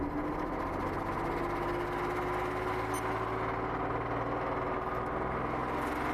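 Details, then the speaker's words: Mercedes V12 after wiring harness repair: even, fairly smooth idle drone with soft light pulse and little punch; suspected running on only half the engine, throttle bodies not heard humming with key on. "the run's good what you said though it's only running on half the motor don't you think"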